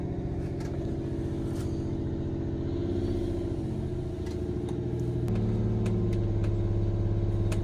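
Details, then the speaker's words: 1989 Grand Villa two-stroke Detroit diesel idling after first start, alternator beginning to charge with one battery dead: deep, even drone with a steady low beat, no misses or knocks, settling slightly higher; healthy idle. "that thing sounds good I think it's really not that loud in here with it running up fire"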